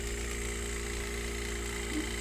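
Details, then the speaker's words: Wine cellar cooler after replacing a bad relay, overload still to be changed: steady low, smooth compressor hum with condenser fan spinning up near the end; normal compressor running. "is going. It's going. That sounds good. Yeah, my fan kicking. Yeah, you see my fan kicking. So, I think this cooler is okay. The problem was the relay the relay was bad."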